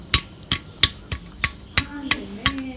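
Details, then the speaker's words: Yamaha RXZ engine being disassembled, crankshaft removed and checked by hand: sharp metallic raps about every third of a second, each with a loose rattling ring; the noise means the crank main bearing is worn. "if you hear that noise that means the crank is bad yeah that is okay"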